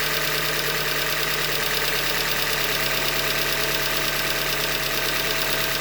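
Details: 2015 Hyundai Elantra Limited at 91,000 km, cold-start idle: fast, even rap about three per second over a smooth hum, engine knock from short block failure, attributed to a manufacturer defect.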